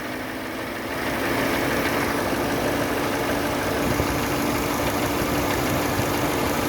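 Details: Chevrolet Sonic after an AC compressor leak repair (O-rings, drier), idling at 800 rpm, vents 3°C in 35°C ambient: even, steady hum with no clacking or cycling; the compressor and clutch work normally.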